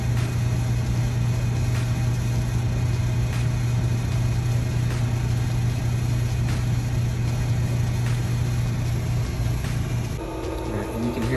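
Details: Tjernlund LB2 Lint Blitzer dryer duct booster fan installed in an access panel on a roughly 60-foot dryer vent run to cure condensation leaks: steady even low hum with no rattle or scraping, then a shift near the end; running normally.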